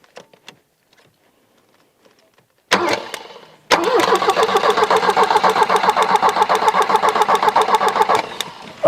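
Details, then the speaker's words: 1984 Volvo 240, parked since about 2012: engine cranks freely at a steady fast beat without catching, with bad fuel and a spark bleed heard; no spark because the ignition was unplugged, and it started once reconnected. "we got no ignition that's why I can hear that spark well at least the ignition's working just wasn't plugged in"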